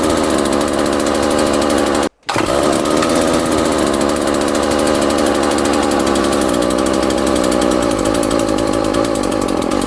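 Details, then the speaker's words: Homelite string trimmer, started on choke with plenty of fuel: high buzz revs out of control with a brief dropout, wavers, then dies; surging then stalling, owner suspects vacuum leak where mounting holes are stripped. "so yeah as you can hear it starts to rev a little bit out of control and then it dies and I have a feeling that's because it it kind of has a little bit of a vacuum leak back here"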